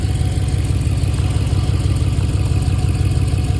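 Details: 2013 Dodge Charger idling after a water pump replacement, with coolant being bled as the engine comes up to temperature. It is a steady, even low idle around three beats a second, with no rattle or squeal over the hum, so the engine is running normally.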